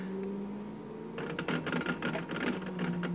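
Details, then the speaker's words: Logitech G27 wheel after the chatter fix (posts drilled out), 100% force feedback driving over bumps: only soft irregular ticking and motor whirrs, harsh gear clacking eliminated. "showing how a little chattering there actually is now just to show you the effect that it has"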